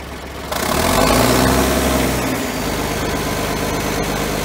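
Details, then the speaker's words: John Deere 770A motor grader diesel, sat five or six years, started after fuel-delivery lever fix: fires, revs briefly, drops to strong steady idle with even beat, no stumbling, no smoke; normal idle. "there you have it the old John Deere 77 770 still runs we got it fired up sounds really good no smoke coming out of it real strong sound and motor on it"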